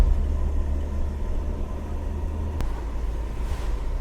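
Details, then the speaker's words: 1970 Citroen DS on its first test drive after sitting, pulling away in second gear: low labouring drone with a sharp pop. The engine bogs and backfires at low rpm; cause unknown. "Yeah, we struggle when we hit the low RPMs."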